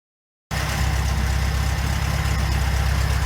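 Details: 1974 VW Beetle at steady idle: heavy, fairly even knock about three per second under the exhaust note; cause unknown, engine was replaced and old one to be torn down.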